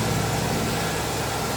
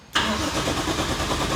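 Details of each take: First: Nissan 180SX straight-six, first start after three years sitting, with a straighter exhaust fitted and some parts not yet installed, not revved: even, steady low rumble, slightly raw exhaust note, no knocks or misses; healthy idle. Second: Nissan 180SX with a 1JZ engine swap, first start attempt after about 3 years unused. The starter cranks steadily for about five seconds but it never fires, with no ignition. Old wiring or unplugged connectors are suspected. Crank, no start.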